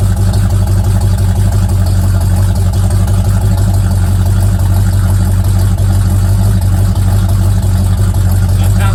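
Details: Old Mustang project car, recently revived after 42 years, idling after a cold start: a deep, steady low rumble firing smoothly with no knocks or misses, sounding healthy.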